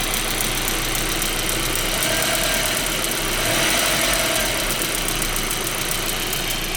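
Steady idle with a light, quick tick riding on top, about three or four a second, source not pinned down.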